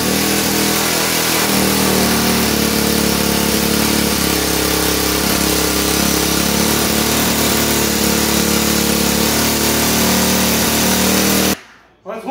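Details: Rebuilt Honda 300EX single cylinder at a high idle because the gas tank sits on the throttle cable: a light rapid tick under the exhaust note, more like an exhaust pop, believed to come from the exhaust gasket. Smoke is oil burning off.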